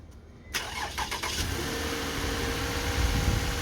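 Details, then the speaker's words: Toyota smart-key car that would only crank-no-start without a booster, despite a new, fully charged battery; fixed by permanently adding power feeds from the main ECM relay to the PCM (EFI 2 and 3 fuses). Booster removed: brief crank, catches at once, even idle; normal start. "now crank and start it's a fix boys"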